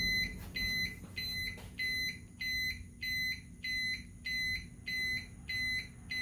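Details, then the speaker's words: EZGO Express S4 golf cart backup alarm, measured at about 63 dB from three and a half feet, close to the OEM speaker inside the center console. Steady, evenly spaced high beeps, about ninety-seven a minute, soft and muffled over a low hum; working normally. "all right so it looks like about 63 decibels which is real close to what the cart is doing now while the speaker is inside the center console"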